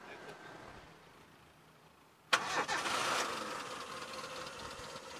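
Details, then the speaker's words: 1996 Suzuki Futura (Carry) Realvan 1.3 type GRV; oil is black from long use but not milky, so no coolant mixing. A brief crank catches at once and settles into a smooth, even idle with no metallic noise or misfire; healthy start. "kalau kita starter suaranya masih halus ya masih halus garing juga enggak ada suara yang aneh-aneh enggak ada suara metal enggak ada pincang juga"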